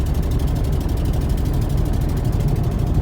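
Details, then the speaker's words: Ford Mustang 3.8 V6, 147,000 miles, five-speed: deep lumpy idle with uneven pulse and dropouts, missing on one cylinder; fuel smell, exhaust leak; owner suspects bad fuel injector, fouled plug or coil, unconfirmed. "believe it's just missing on one cylinder um that's not going to be a huge deal a little v6 in there"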